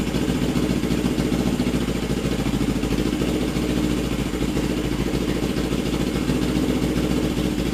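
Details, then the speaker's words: Custom Suzuki GS450 Scrambler warming up after head bolt re-torque: steady, fairly even idle with a low burble and no obvious knock or misfire; running issue still undetermined. "I'm just gonna keep warming it up see how it acts"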